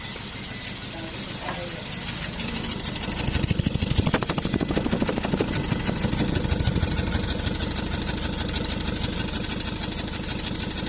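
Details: Hyundai Grand i10 at idle: uneven idle with irregular stumble in exhaust pulses, roughly three beats a second breaking rhythm; engine misfire at idle.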